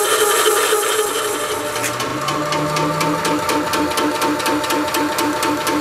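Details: Shoebox compressor with original first-generation 2011 chain drive, before belt drive upgrade: rapid, hard rattling tick about four times a second over the compressor's hum; noisy chain drive.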